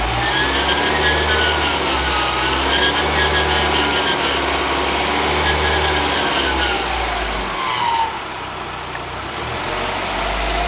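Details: 2004 Mazdaspeed Miata: buzzing whine over idle rising and falling in pitch with engine speed when revved; owner suspects the alternator, not confirmed.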